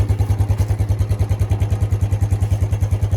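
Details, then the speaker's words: Suzuki Quad Runner LT160 ATV single cylinder at fairly even but lumpy idle, roughly 200 beats a minute, starting to run out of gas again; fuel in tank but likely lean and starved, owner suspects carburetor needs cleaning. "So, oh, yeah, it's starting to run out of gas again. Alright, so it needs a carb clean, but I think we have a runner."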